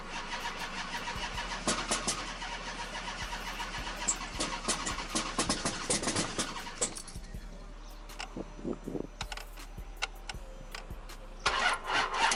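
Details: 2005 Chrysler 300C 5.7L Hemi after a rebuild, crank seal resealed with RTV: the starter whirs and cranks steadily in long bursts but the engine never catches. The owner says it has spark, fuel, air and ignition; cause unknown.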